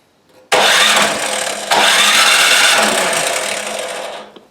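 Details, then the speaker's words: Craftsman 26 Quiet snowblower, model 247.886940, probably under five years old, primed with fuel on: about four seconds of steady electric-starter whirring with no catch; cranks but won't start, carburetor suspected; has spark. "Everything's good. Nothing, right? This is a no start."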